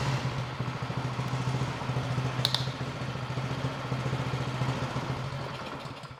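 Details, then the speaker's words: Bolens 22-inch two-stage snow blower, Powermore 165-WU 179cc OHV engine, a no-start fixed by cleaning the carburetor, at half throttle. An even, fast putter that holds speed on its own, then fades as the engine winds down. "Okay, so in a pinch, I was able to get this running by just cleaning the carburetor."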